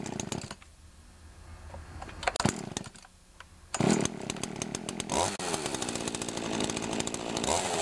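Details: Pioneer Partner P500 50cc two-stroke chainsaw with external choke, chain a bit dull: a few short pulls and sputters, then catches and holds a strong, even buzz with clean revs; normal healthy running.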